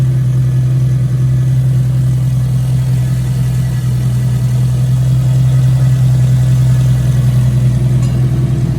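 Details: 1986 Toyota Corolla AE86, parked since 2010, running after its spark plugs were cleaned. Warm four-cylinder idles slightly high with a smooth, steady hum and an even rhythm, no knocks or misses, as coolant temperature rises. Runs well.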